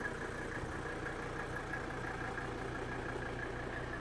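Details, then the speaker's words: Old Mercedes diesel idling cold just after starting. A steady, even diesel idle with a soft regular beat and no knocking, misses or hunting; it runs smooth, and its quick shutoff suggests very high compression. "look at how smooth it's running at idle"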